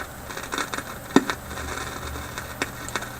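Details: Philips 922 vacuum tube radio, restarted cold on a current-limited supply with the line voltage climbing near 120 V, then held to 115 V: irregular sharp snaps and crackles like distant lightning over a faint hum, then the radio goes dead. Owner suspects IF capacitors.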